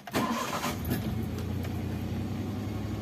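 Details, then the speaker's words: Daihatsu Xenia 1.0 after clutch replacement and cleanup, completely cold start, engine not at operating temperature: catches quickly into a steady fast idle around 1200 rpm, no misses or knocks; normal, rpm drops toward 750 as it warms. "jadi ini R benar-benar dingin Aduh temperatur belum tercapai sama sekali Biasanya kalau temperatur belum tercapai kita baru nyalain gini itu 100-an Coba kita lihat"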